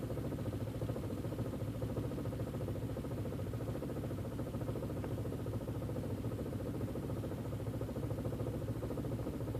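Uneven, lumpy idle with a low pulsing beat that wavers instead of running smooth; the engine is idling rough.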